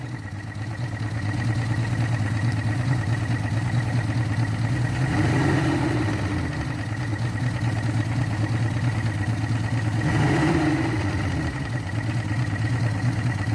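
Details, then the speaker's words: Yamaha 225 hp outboard at its first start after JB Weld epoxy repair of the cylinder 5/6 block holes, in neutral with extra break-in oil: even low idle with a steady beat and gentle swells, no knocks. "i'm not sure it sounds like it's firing real good but it's still in neutral"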